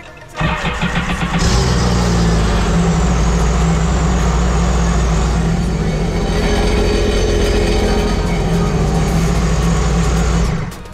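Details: 2019 Sea-Doo RXP-X Rotax engine after oil leak fix, oil cooler O-rings and refilled oil/antifreeze: catches in under a second, steady even deep idle, clean shutdown; sounds healthy.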